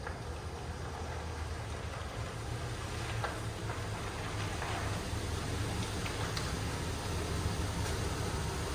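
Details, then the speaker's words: GMC Yukon with new AC Delco 15-4694 fan clutch, back in the garage after a test drive, revving: smooth steady low drone, no fan roar climbing with revs; fan clutch normal, problem fixed. "so just like that I think it fixed it it definitely you can tell the difference you're driving down the road sounds so much better"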